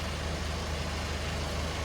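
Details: MK1 Ford Fiesta with Zetec turbo engine after an ECU fix, battery low: low, lumpy rumble with an uneven beat and no crisp firing rhythm; two runners stone cold, running on only two cylinders, owner suspects two injectors not firing.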